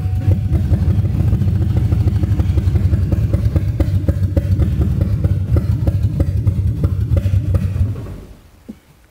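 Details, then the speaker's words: 2002 Mustang GT, third start attempt after fixing a large vacuum leak at the valve cover-to-intake hose, good fuel pressure, floored: catches and runs unevenly with stumbling pulses about eight seconds, then dies. Owner suspects clogged injectors, unconfirmed. "i mean she starts throwing good when she does want to run it just i don't know man i just uh don't know so that was floored and uh she didn't like that too much"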